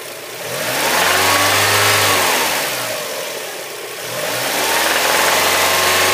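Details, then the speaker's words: Mazda MX-5 on Castrol GTX 10W-40 with engine flush and oil improver used: as it revs and settles twice, a light tinny tin-can tapping sounds below about 3,000 rpm and fades above it; cause unknown. "you can hear it's almost like a rust a tin can tapping or something like that it takes over the fine no problem once the revs are over three then it's fine again"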